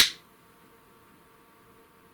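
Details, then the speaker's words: Panavia Tornado Gr.4 LRMTS Mk3 laser head Nd:YAG flash lamp, run on 28 V and 115 V supplies with a 1 kV capacitor, manually triggered by a function generator: one sharp dry snap as the lamp fires, then quiet; normal. "Okay, so you can hear the noise. And you can see also the flash."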